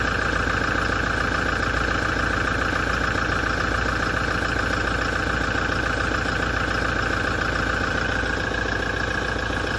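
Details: 2017 Toyota diesel after major service, at idle: regular knock about three and a half per second with steady metallic ringing and grinding vibration; source not pinned down.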